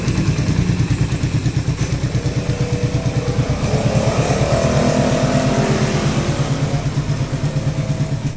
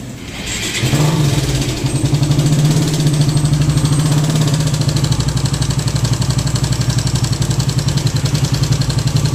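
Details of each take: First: Suzuki Raider 150 carb-type single-cylinder motorcycle after new timing chain, guide, tensioner and valve clearance reset: steady idle thumps and a brief rev with no chain rattle or ticking; engine noise gone. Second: Raider 150 carb type: busy metallic timing chain clatter at start and idle, still noisy despite fitted manual tensioner; strong engine oil leak noted, possibly missing gasket at tensioner.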